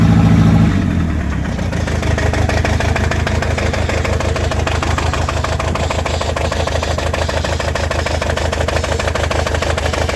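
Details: Toyota 22RET engine misfiring at idle: uneven, stumbling beat as one cylinder keeps dropping out.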